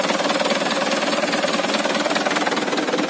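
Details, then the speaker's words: Auction HDL 2019 chassis truck, 136 PS diesel, unit 9315, just started: even, regular diesel clatter at steady idle, no stumbles; engine very smooth. "Nih Nikita hidupin sangat halus banget mesinnya"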